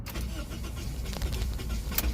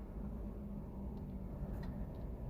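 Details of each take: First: Car after an engine swap with the fuel light blinking and 75% fuel: the starter cranks steadily but the engine won't fire; fuel pump wiring was checked and pressure is 56 psi, and when it starts it runs badly and stalls. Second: Car after engine swap that cranked but wouldn't start, fixed by replacing the faulty fuel level sensor from a junkyard: now running with fuel gauge showing full and temperature good, quiet steady idle with no knocks or misses.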